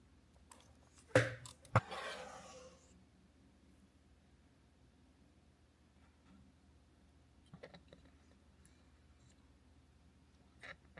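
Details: Canon AE-1 35mm film SLR: two crisp, quick shutter clacks with brief mechanical ring-out and no squeak; normal shutter release after the squeak issue was solved.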